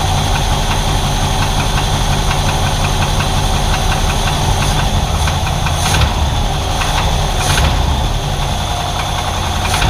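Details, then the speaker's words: 1968 Chevrolet Impala after a timing-chain replacement, cold start: rough idle with a quick light tick; the tap mostly fades when warm but occasionally returns, and the source is still unknown. "It warms up. For the most part, that tap goes away. And then just occasionally, it'll start that again."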